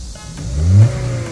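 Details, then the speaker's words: After repair of sudden loss of power on acceleration, engine started and throttle blipped: revs climb instantly and smoothly to 3000 then 4000 rpm and settle back without stumble, a clean, healthy free rev. "哇，瞬间到3000转，瞬间到4000转，听到没有？这个声音听起来是不是特别爽？"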